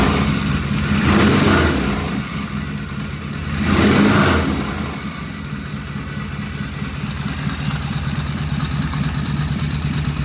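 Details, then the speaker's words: Vintage British twin motorcycle, known runner, first start with carburetors tickled and oil pressure gauge fitted, pseudo-Dunstall mufflers: steady lumpy twin idle, two clean throttle blips rising and falling smoothly; sounds healthy. "Wow, that sounded good. I feel bad is that sounds better than beauty did."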